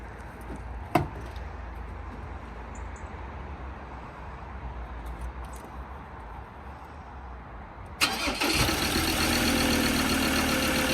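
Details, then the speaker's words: Ford Ranger diesel after EGR valve refitted with new gaskets and bolts (was blowing, fire risk): starts quickly and settles into a loud, steady idle; the exhaust hissing heard before is gone. "You can hear the engine, but I can't hear the hissing the same as we could."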